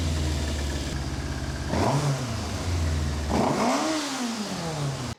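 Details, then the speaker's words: 1988 Yamaha FZ750 Genesis four-cylinder, fire-damaged, after inlet rubber replacement, carb rebuild/ultrasonic clean and sticky throttle fix: revs twice on choke at high idle and drops back smoothly, firing evenly on all four cylinders for first time in months, no fuel leaks. "It is actually running. I cannot believe it. It is running on all four cylinders for the first time in probably 9 or 10 months since I've had this bike."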